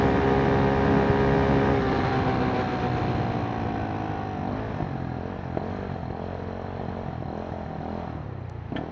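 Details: Kymco K-Pipe motorcycle with a 50-tooth rear sprocket, in 4th gear around 35 mph on a commute: small engine buzzing loud and high at steady cruise, pitch easing as it slows; gearing too short, revving too high.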